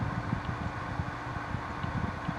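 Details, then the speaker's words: 1995 Carrier VisionAire window A/C, 6050 BTU, cleaned, near end of long test run: compressor and rear fan have cycled off, leaving a soft steady fan hum with light fluttering from the inside blower alone; normal operation. "it just shut off so now you can hear the difference of just the uh just the inside fan running which is what you're hearing now and the compressor and the uh the fan on the back is shut off"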